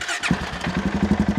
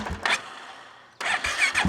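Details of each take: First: 2016 Polaris Sportsman 570 with rebuilt engine after fitting a new battery (old AGM tested bad): brisk, even, strong starter cranking, turning over much quicker, normal. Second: 2016 Polaris Sportsman 570 with freshly rebuilt engine; starter turns over slowly before catching and idling steadily; charging 14.3–14.4 V but battery 12.2 V off, tester says AGM battery bad, replace, weak battery.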